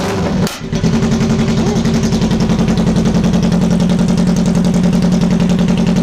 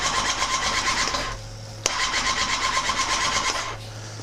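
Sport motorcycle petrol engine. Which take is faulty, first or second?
second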